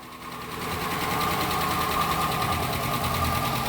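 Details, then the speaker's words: Police Dodge Charger HEMI V8 at start-up after new updated lifters: light quick top-end tick about three a second, fading as lifters fill with oil, expected gone in about five minutes. "That's how it sound when it came in, but guess what? Hear that? It's going away. You know why? Cuz it has the new updated lifters in it."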